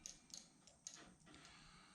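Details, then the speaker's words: Torpedo heater pump rotor turned by hand, dry: light, crisp uneven clicks as vanes drop freely by centrifugal force, which is normal; one vane worn and fitting less loosely. "the key is to make sure everything is dry in here you can hear them clicking"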